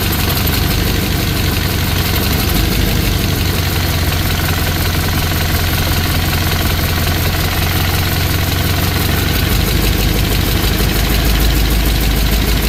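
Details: 1963 Chevy Impala small-block V8 being started during valve lash adjustment: a fast, even ticking over a lumpy idle, keeping pace with the engine, from loose valve lash at the rockers; afterwards slightly quieter, with a leak blamed for most of the noise.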